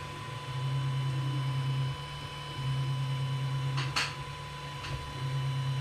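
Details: Creality CR-10 3D printer after fitting vibration dampers: low steady stepper hum moving in smooth bursts with a few light clicks, a quiet, healthy printer running.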